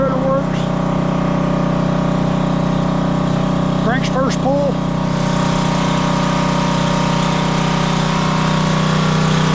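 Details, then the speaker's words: Coleman Powermate Powerbase 5000 generator, 10hp Briggs & Stratton, stored with fuel, running after carburetor cleaning. A steady, smooth hum with no knocks or surging; sounds good and healthy. Normal running. "pull she sounds good and healthy woo sounds good and healthy"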